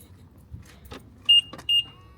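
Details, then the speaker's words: 2014 BMW i3 with aftermarket proximity comfort access kit: two short clean high beeps a moment apart; keyless entry lock confirmation working normally. "But if you walk back to it and let the comfort access work, it will make the sound."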